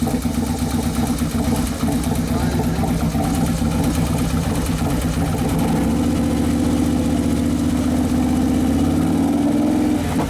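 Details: 2011 Harley Road Glide Twin Cam V-twin after motor and primary repair, during its first heat cycle; it had sounded possibly lean just before. A loping idle rises under a blip and holds an even, steady beat with no knocking or tapping: normal running.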